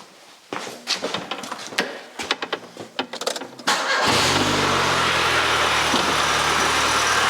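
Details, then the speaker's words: 1993 Rover 220 coupe, T-series engine, after head gasket and timing belt change, restart after spotting a drip from a union: handling clunks, brief crank, catches at once and settles to steady even idle, no misses. Normal engine start. "I love how easily this car starts it always was one of those car that's happy to run which is a rare and fantastic find when you have one"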